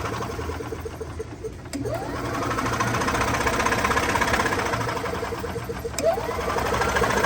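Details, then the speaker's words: 1994-2005 EZGO TXT gas golf cart cranks with quick even starter chatter but never fires; spark plug is wet, so it is getting fuel; weak spark suspected, later a bad coil, not confirmed. "you can see it wet that means it getting gas probably weak spark"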